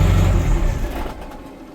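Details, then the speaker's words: Diesel truck after exhaust repair replacing stock muffler, with welded adapters and bent pipe under the cab: deep rumble fading as revs drop, faint turbo whistle now audible, not obnoxiously loud; exhaust sounds solid and leak-free. "but it sounds great. I can actually hear the turbo now, which is sweet. So, and it's not obnoxiously loud."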